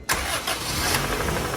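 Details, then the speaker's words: 2000 Honda Civic DX hatch with B18C1 GSR swap, unrun for over a decade, after fixing voltage drop at EFI main relay: brief crank, fires at once, steady idle; rod bearing knock noted, timing incorrect. Normal quick start. "yeah it start right up every time with the proper voltage to the main relay"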